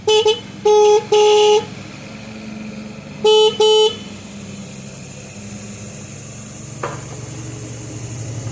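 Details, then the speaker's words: Old Yamaha motorcycle horn, possibly a late-1970s XS650, tested for use on a garden tractor: four sharp, steady high-pitched blasts, two then two, clean and strong; horn works properly. "It works. I hope you can hear that."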